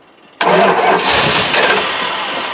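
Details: Old 360 engine that sat 3 years, cranked with starting fluid sprayed on top of the carburetor. A steady cranking rush tries to catch but never settles into firing: long crank, not starting.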